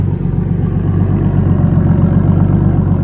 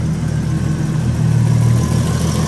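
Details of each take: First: BMW E36 325i turbo, started cold and idling about 9 minutes: a steady low rumble with a faint rapid clack that grows audible around 9 minutes. Ticking noise at idle, source unclear. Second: BMW E36 325i turbo, M50 six-cylinder, idling after oil smoking off the manifold was cleared: steady low hum with no ticking or clacking. Exhaust-line condensation is a normal M50 noise.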